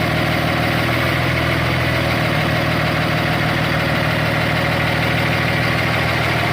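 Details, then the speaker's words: Hitachi ZW220 wheel loader diesel idling: rough, uneven sucking rumble from a hole in the intake (vacuum leak), reported by the customer as a loud knock but not a true knock. "a big hole right there. So there's a hole in the intake."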